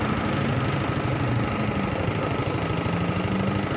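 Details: Honda Supra X 125 fuel-injected motorcycle after hard-start and no-idle fix (TPS replacement, higher fuel pump pressure): low steady idle thump, even beat for four seconds without stumbling; normal idle.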